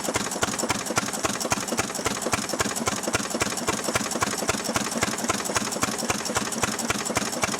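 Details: Restored 6 hp Fairbanks Morse Model Z stationary engine running on kerosene, driving a buzzsaw cutting firewood: crisp, very even firing beats about 220 a minute, steady rhythm under saw load; normal, healthy running under load.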